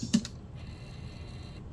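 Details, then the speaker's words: Repaired Sega CD Model 1 drive: a couple of sharp clicks, then a faint, smooth whir as the laser sled travels forward, with no grinding. It sounds normal after the repair. "Hear the laser come forward, no grinding. No grinding."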